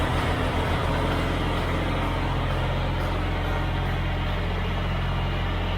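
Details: Tractor just after tune-up (oil and filter, hydraulic fluid and filter, spark plugs, O-ring, air filters): steady, even low engine drone with constant tone and no knocks or misses; runs smoothly.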